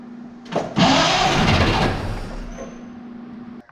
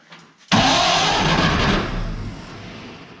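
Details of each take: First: Barn-find 1931 Oldsmobile F31, first start attempt on 12 volts with choke open: starter churns a couple of seconds and never catches, stopping in fits; they suspect fuel not reaching the carburetor. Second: Barn-find 1931 Oldsmobile F31 after fuel was poured into the carburetor fuel bowl and down the throat: short quiet crank, then catches with a sudden roar and settles toward idle; clean start.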